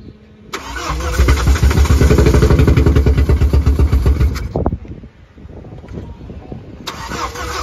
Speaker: so note this how the car only starts after you've built up enough fuel pressure so what happens is the fuel regulator shows us that the car bolts up it's six it's the necessary six bar pressure and then as soon as you start the car it will idle for a few seconds and then it loses the fuel